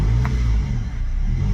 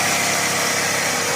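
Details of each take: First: Toyota Previa with hard starting and no idle: engine held on light throttle gives a steady low drone that sags and recovers unevenly, and it stalls as soon as the accelerator is released; it won't idle on its own. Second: Toyota Previa previously with no idle and hard starting, restarted after throttle body repair: steady, even buzz with no dips or surging, holding idle on its own and no longer dying; normal idle.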